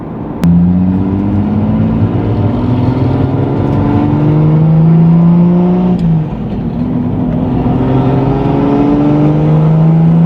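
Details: Nissan 350Z with 2JZ swap and brand new CD009 transmission, during break-in: the engine pulls cleanly through the revs, drops sharply on each shift and picks back up smoothly. Shifts are normal and the gearbox sounds healthy.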